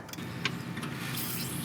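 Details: 1985 Toyota Celica 22RE after new fuel pump install, key on, pump run via the air flow meter door to purge air from lines: faint steady electric whirr holding even; fuel pump priming normally.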